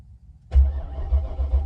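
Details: 1994 BMW 740i (E32): after quiet, the starter spins the engine in low, even chugs with no catch; a light-bulb test shows it has power but no fuel, so a fuel pump is needed.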